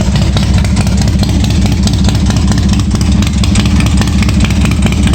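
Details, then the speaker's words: 1986 Harley-Davidson Softail V-twin after starter fix and filling the case with oil: loping steady idle, no rattle or grind from the starter, which engaged and disengaged cleanly; normal idle. "Don't hear any rattling. Well, starter sounds like it's disengaging all right. Engaging enough to start it, so I think that's good."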